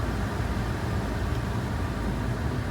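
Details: GM blower after replacing the blower control module, cold day, fan on high, set to 74 and hot: steady, even rush of air with no ticking, rubbing or wobble; blower running smoothly.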